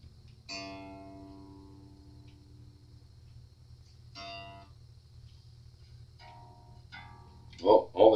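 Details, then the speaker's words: Jazz Bass after refret and neck reset, freshly restrung and tuned during final setup: plucked notes ring clean and sustain evenly with no rattle against frets; buzzing has gone away. "buzzing has gone away so you know where we're going with this"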